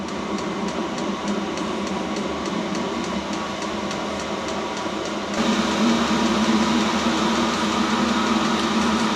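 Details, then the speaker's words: New self-contained Chinese diesel heater, first firing while bleeding fuel; steady fan roar with fast even pump ticking about three per second, no faltering, starting to blow warm air; healthy running. "And this is the first time this has been fired up, so it's actually going through a bleeding process as well. Starting to put heat out now. Starting to blow warm air out."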